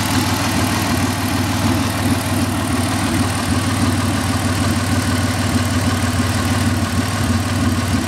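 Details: 2000 Ford SVT Contour with a 3.0L Ford Escape block, Cougar 2.5 heads and SVT cams, at idle: loose repeating knock, roughly three per second, over a deep rumble; engine knock, origin unknown.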